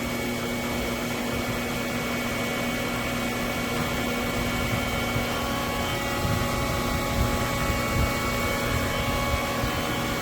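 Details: Newly installed replacement for 16-year-old Polaris PB4-60 pool booster pump (old one had bad armature, bearings replaced three times), started after main pump: steady, even hum and whir, no knocks, rattles or surging; running smoothly.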